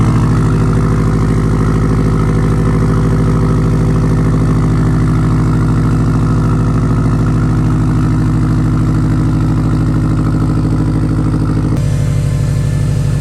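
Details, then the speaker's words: 2016 Subaru WRX STI at idle, started on a jumper pack, low compression on cylinder two. Lumpy, uneven rumble with a big-cam-like lope. Misfire rough idle from the dead cylinder. "it sounds it sounds like it's missing honestly but you could you mistaken it for a cam if you wanted to"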